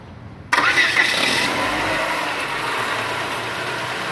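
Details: Peugeot 207/307 with the oil pan refitted, fresh oil and coolant, first start with an oil pressure gauge on the oil switch port: brief crank, catches cleanly and settles to an even idle. Healthy start.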